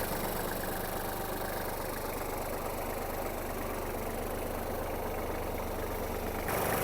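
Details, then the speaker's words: Kubota GL-29 mini tractor, 29 hp three-cylinder diesel at idle after an easy clutch-in start: an even, settled clatter with a steady low rumble, no knocks or hunting, and no white breather smoke; healthy idle. "Давайте ми його заведем та послухаємо Як працює двигун вижимаємо щеплення та заводимо завівся без питань"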